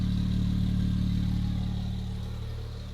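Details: Porsche 997 911 Turbo, manual, with a replacement engine on its first start after rebuild: even, low flat-six idle with a faint steady ticking that fades as revs drop. Healthy, no leaks.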